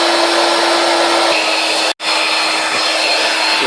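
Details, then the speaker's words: Electric air bed pump pressed hard against the valve, blocking its intake from the inside: a loud, steady, high hum drones on, but little air gets in and inflation is slow; the fix is to leave a gap so air can enter. "Right, when you're blowing up your bed, you be sure that when you put your pump on, that it's not pressing down hard like that, because when it does, it's block the hole from the inside, making a lot of noise, but there's no air getting in, so it needs to have a gap in there, so the air can get in."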